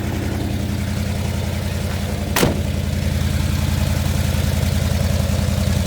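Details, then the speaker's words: 1977 Chevy C10 with a factory 350 V8, cold and on choke: a steady, slightly raised fast idle with an even low rumble and no knocks. "don't run away on me it will kick off choke once it warms"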